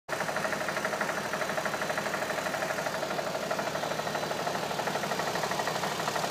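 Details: 2007 Audi A3 3.2 at steady idle, crisp even tapping about three times a second over the engine note; engine knock at idle, cause not yet identified.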